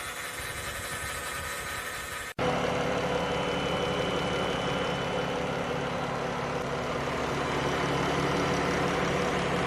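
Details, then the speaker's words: 2014 Chrysler Town and Country, 3.6 engine, 62TE transmission, idling just after a transmission fluid and filter change: the transmission pump whine is gone, with a slight rattle from the power steering. "all right so now that we have it fired up we did confirm that we don't hear that transmission pump P wine over there there is a little bit of a racket coming over there from the power steering I can hear as well"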